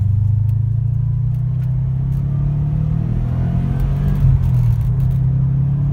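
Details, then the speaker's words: 2013 Subaru STI boxer, about 265 hp turbo, first drive after fixing a no-start from broken crank sprocket teeth: deep, steady rumble swelling under acceleration uphill, no knocks or grinding; runs clean, not too loud, rally-car whine. "and it sounds good nice super humble not too loud though so I'll strike it actually has like that rally car wine to it"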